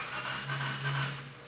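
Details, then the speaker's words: 2005 Subaru Forester 2.5-liter SOHC that cranks but won't start: starter spins the engine fast and too evenly with no compression pulses and no firing; broken timing belt. "okay so to me it sounds like we have a broken timing belt um this is a 2.5 liter single overhead"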